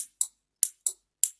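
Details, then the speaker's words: Relay click test, the second of three tests, on relays that passed the coil check at over 200 ohms: six crisp, clean clicks with no chatter or buzz. The contacts switch audibly, though a click alone doesn't prove the relay is good. "The second test is to hear the click."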